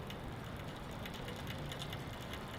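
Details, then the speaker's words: Bicycle rear derailleur, lightly pedaled in top gear: light, uneven clicking from a misadjusted high limit screw, which goes away when the screw is backed off slightly. "keep pedaling lightly until you don't hear any of that clicking"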